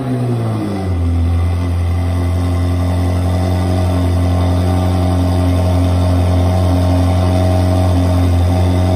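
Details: Ferrari 360 V8 first start after full engine rebuild, oil pressure pre-built by cranking with fuel pump relays disconnected; catches within a second and settles into a smooth, even idle, steady pulse around 220 per minute, healthy.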